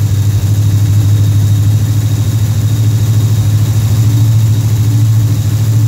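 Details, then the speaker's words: Pontiac Rochester Quadrajet carburetor V8, cold start: deep, even rumble held at a steady fast idle around 1,400 rpm on the fast idle cam, which drops off as the choke opens and the engine warms; normal fast idle. "this thing's got it's got a fast idle cam in here and what'll happen that'll start dropping off and whenever it does then the idle speed will come down and right now it wants to be on the faster"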